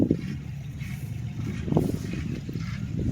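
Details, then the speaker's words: Late-1980s first-gen Toyota 4Runner with transfer case doubler, limping after trouble; low uneven idle with lumpy surges and stumbles; alternator issue suspected, cause not confirmed: rough idle. "I don't know if you guys can hear that on camera but it's from from real rough idle here"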